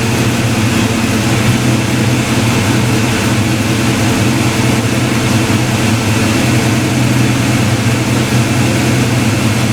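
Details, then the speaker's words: Black Ford Mustang just after first start with new 24 lb injectors, 73 mm mass air meter and shimmed rockers: steady, even idle with a deep smooth exhaust note and no misses, idling much better; normal idle. "oh actually sounds a lot better damn yeah i think i had some oil on the headers from taking the valve covers off car's idling a lot better man"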